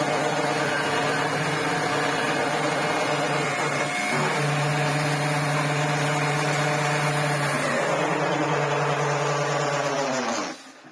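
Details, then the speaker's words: Electrolux Z504 vacuum running without a filter: a steady motor whine with a buzzy, rough brush rumble that drops away at switch-off. Airflow and suction are good; worn brush roll bearings are suspected, not confirmed. "the brush not making that noise, it's got good airflow, it's got good suction, yeah I think the bearings are a little bit shot on that brush."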